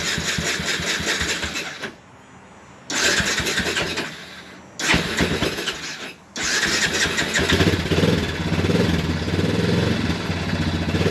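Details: Early-2000s Honda Recon ATV single-cylinder, second quad, after cleaning sludged carb and gas tank: catches and dies twice, then runs with an uneven hunting beat, won't idle; owner suspects the carb isn't letting in the correct amount of fuel.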